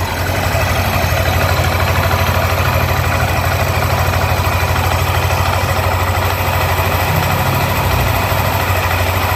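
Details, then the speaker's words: Yamaha NMAX new (2020s) after replacing camshaft bearings with racing bearings and lower tensioner, oil jet hole added, previously "sek sek" noise: steady even idle, no knocking or rattle from the top end; normal after repair. "suaranya Udah halus lagi berarti penyakitnya emang dari bearing makan as nah ini dia nih penyakitnya jadi kita upgrade pakai bearing Paito"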